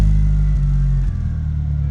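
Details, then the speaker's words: Mitsubishi Evo revived after 17 years unused, timing corrected by one tooth: deep steady even four-cylinder idle, no spitting, burbling or popping as before; now runs normally. "It just sounds normal. Before it was kind of spitting and burbling and popping a little bit. Just a normal car now."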